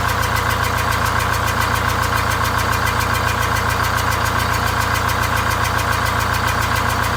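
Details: Greyhound Scenicruiser bus, automatic, eight-cylinder diesel with one bad cylinder bypassed, new exhaust and welded muffler, cooling fan off: deep steady idle thumping about 3.5 times a second, slightly lumpy; running on seven cylinders.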